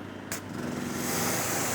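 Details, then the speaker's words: Generator powering a new Maxshine professional electric pressure washer (induction motor, triplex pump, 1200 PSI, 1.9 GPM): engine drags down each time the trigger is pulled, labouring under the motor's starting load, then recovers to full power; eco mode possibly on. "Okay, but listen to the generator. It's really struggling every time I pull. And then it starts going, and then you're at full power and it's good."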